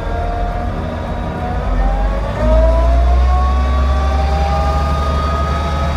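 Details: 1941 Dodge WC12 truck pulling away and gathering speed: a clear tonal whine rising in pitch over steady low engine rumble. Transmission whine.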